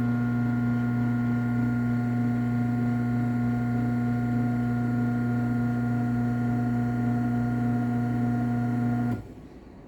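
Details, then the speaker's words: LiftMaster 8365W garage door opener, a dumpster find with a wiring issue: runs with a steady, even motor hum and stops cleanly, not too loud. "this one actually isn't too loud run it down"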